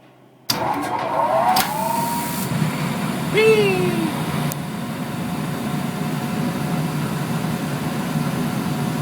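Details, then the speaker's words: Gas dryer after repair with a new thermistor, start button pressed so drum turns and burner ignites: a few startup clunks, then the drum settles into an even, steady rumble with no scraping or squeal; dryer running normally. "and one more time dryer test ready go hey baby i love it i love it yeah look at that fire such a lovely fire okay and there is a dryer that has been repaired"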